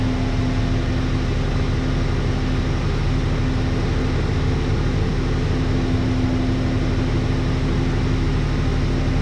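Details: 1988 Dodge Ram V6, first startup after engine re-install following about 8 months of work: steady, even drone with a constant low hum and no knocks or ticks; smooth, healthy run.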